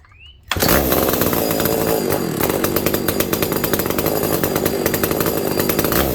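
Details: McCulloch SP125 two-stroke chainsaw after a BDC14 carb rebuild with a custom-made clip-style needle, screws one turn out, fixing fuel starvation: fires up and holds a steady high buzzing rev with even crackle, no stumbling or dying; runs properly, fine tuning still needed.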